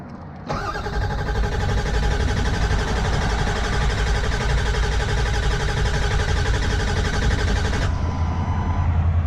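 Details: Broken-down Ford Powerstroke diesel truck, no wait-to-start light and fuel pump operation unclear: starter cranks steadily about three beats a second for seven seconds but never fires; crank, no start.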